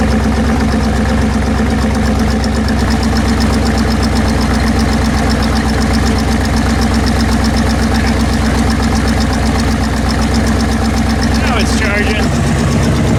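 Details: AMC 304 V8 on a wood chipper, idling after alternator rebuild for charging fault: steady rumble with a light tick about four times a second; owner thinks it is just the exhaust, unconfirmed.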